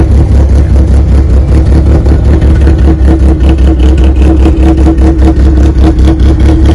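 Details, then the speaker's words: 1995 Plymouth Neon ACR with a big cam, during restoration: deep, loud, lumpy idle pulsing about 2.5 times a second and holding steady. Healthy normal idle. "now really you hear it it sounds great"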